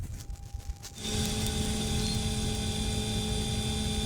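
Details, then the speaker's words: 2011 Mercedes E550 W212 AIRMATIC, car lifted, right rear strut deflated via diagnostic test before replacing the rear air springs and shocks; it vents under the bumper at the control valve: a sudden steady hiss held for several seconds. Air suspension venting. "It actually vents under the bumper. The control valve is back there."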